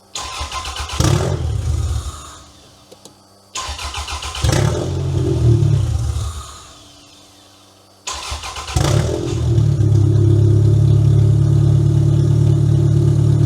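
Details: Toyota Camry demolition derby car, previously no-start, after fixing a cut security-system wire, started with booster pack: two short cranking tries die out, then catches into a strong, even idle, no misfire; runs really good and loud.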